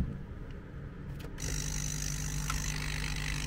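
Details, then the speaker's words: MET AIR T-100 anti-bedsore mattress compressor, which would not switch on (fuse intact), after refixing a dislodged internal contact: motor starts into a steady, even low hum without stumbling; running normally. "Все заработало. Выпадение контакта."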